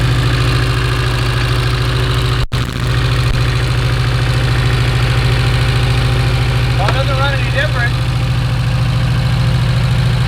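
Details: Porsche 924 Turbo that long ran poorly, idling in the shop: lumpy idle with an uneven stumble about three times a second; one cylinder misfiring from a plug lead with its insulation gone, arcing.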